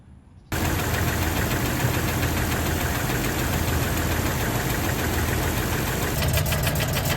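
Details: Jeep 4.0L engine: dull internal knock roughly three to four beats a second over the running engine; cause undetermined.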